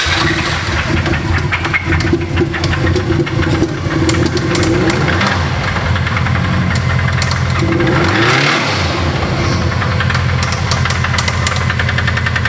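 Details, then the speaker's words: Subaru WRX GC8 rally car flat-four, unopened motor with 230,000 km pushed to 230 kW at the wheels: rough running with a heavy regular knock each revolution, strongest at idle; rod bearing failure. "okay so if you guys have been following you would have heard seen felt the knock coming out of this car because the last time dean drove it uh well we knew it was coming it was always going to go like this sounds a little bit like this"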